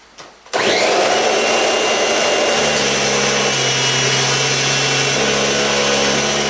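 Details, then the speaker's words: Kirby G4 vacuum with Avalir tech drive, starting for salt pickup test on thick carpet: steady high whir with rough gritty edge; owner says front and back motor bearings are a bit worn and audible. "I'm going to use it, it's got the bearings, front and back bearings are a bit worn in it, I can hear them going."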